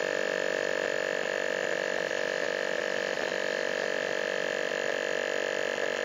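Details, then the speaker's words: Refrigerator compressor under pressure test, outlet closed once running until it labours; steady strained hum with high whine and fast even pulse about four per second, straining against closed discharge, testing for weak or back-leaking compression. "Nah, ini keras seperti ini. Ini sudah berat ini kompresor ini ee pistonnya kita cabutin."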